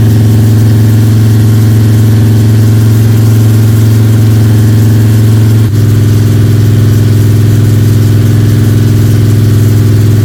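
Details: Freshly built 302 Cleveland V8 with a Holley Sniper and new electronic distributor, timing around 31 degrees, during cam break-in: strong, steady fast idle that settles slightly lower partway through, with no ticking or rattling. The cam is running and the engine sounds sweet.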